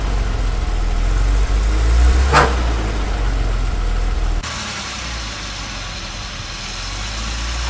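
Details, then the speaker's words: 1978 Jaguar XJ6 Series 2 barn find, off the road 24 years, idling: a steady metallic rattle on the firing beat that quiets when the alternator/water pump belt is removed, showing the water pump is the source; a new pump is needed. "we're taking the air the belt off the alternator and water pump and it's the water pump making the noise"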